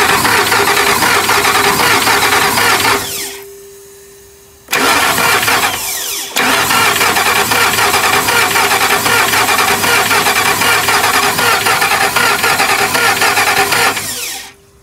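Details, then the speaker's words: 2005 Ford F-150 with passenger-side valve-cover noise, plugs out, all disconnected, starter jumped directly: even fast churn about four beats a second, no compression pulses; water sprays from plug holes, head or exhaust manifold gasket suspected. "Bueno, no sé si alcanzan a ver, pero los cilindros están tirando agua. Entonces puede ser que sea la cabeza la que se fue, o puede ser el empaque de lo que es la araña múltiple de emisión, araña como todos la conocen, esta de aquí."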